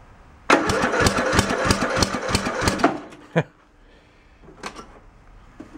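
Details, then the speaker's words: Abandoned Poulan Pro riding mower cranked with its carb fed from a bottle: quick chuffs, brief catch, then sharp pops back through the carb; the valve cover showed excessive valve lash and a missing valve keeper. "that does not look good H that ain't normal after all that pop in back I decided to pop the valve cover off and see what we got going on and that seems to be quite excessive uh valve adjustment there"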